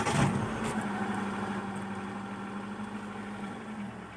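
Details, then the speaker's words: Hyundai Atoz woken after long storage, idle speed previously too high, stepper motor adjusted, engine dirty: even idle hum eases down and settles smoothly, estimated 850–900 rpm with no load; lower idle would make the AC cycle on and off. "RPM bisa turun, nanti kita scan untuk melihat hasil maksimalnya karena tidak ada RPM-nya. Cuman kalau perkiraan saya ini masih sekitar 850 ke 900. Ini kondisi tanpa beban."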